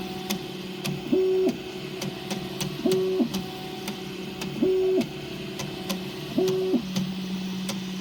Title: Prusa i3 clicking sound